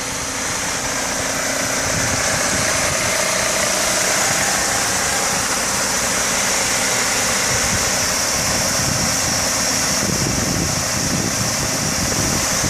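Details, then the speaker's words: 1997 Mercedes-Benz C180 W202 1.8 L, automatic, one owner, 93,000 miles, well maintained, original: even steady warm idle with soft exhaust hiss, no lifter tick, knock or ping, no vibration: normal idle. "Just a really smooth running, really clean car."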